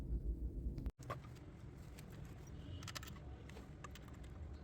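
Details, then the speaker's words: 2004 BMW 7 Series 3600cc petrol V8 after replacing two faulty ignition coils and cleaning the throttle body: low, steady idle with no misfire; long cranking on start still reported. "अभी गाड़ी start है और यह दो coil इसकी खराब थी हमने चेंज कर दी है और गाड़ी की मिस फेरिंग का फाट दूर हो गया है"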